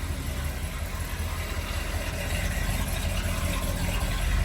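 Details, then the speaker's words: 1969 Ford F100 Ranger 4-speed cold start, with the choke pulled out and the gas pressed: even, steady low rumble at a raised choke idle, no misses or knocks, speed creeping up as it warms. The engine starts nicely and idles normally. "go ahead and Fire up and you can hear how nice that starts"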